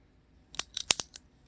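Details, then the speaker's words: Carbon seatpost gripped with pliers and squeezed gives about five sharp, dry cracks within half a second as its inner carbon fibres fail under clamp pressure. "아주 경쾌한 소리가 나죠. 타면서 이런 소리 나면 소름 끼치겠죠."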